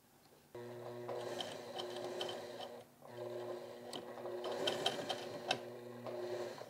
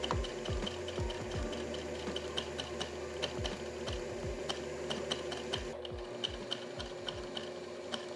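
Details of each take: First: Sewing machine catching when sewing in reverse, thread ripping and pulling, bobbin flipped with no change: fast steady whirr in short runs with a ticking catch in the stitch rhythm; hook timing running early. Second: Sewing machine stitching heavy-duty denim right after adjusting the hook timing, which looked slightly ahead: quick, even needle clatter at about two stitches a second with no binding or knocking, now working normally.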